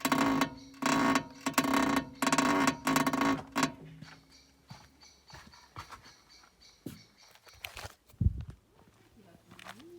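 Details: VW MQB-platform car, repeating squeak about twice a second, short creaky tones fading among knocks; suspected suspension squeak, possibly DSG, not confirmed.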